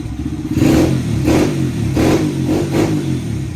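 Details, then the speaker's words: Honda CRF100 after air intake install and emissions delete: five quick throttle blips, each rising and falling cleanly with a louder, throaty exhaust and intake note, not obnoxious; revs crisply and healthy. "It's definitely louder, but not obnoxious. I have had it where I just removed the spark arrestor from these, and I would say that's slightly louder than this, but it didn't sound as good."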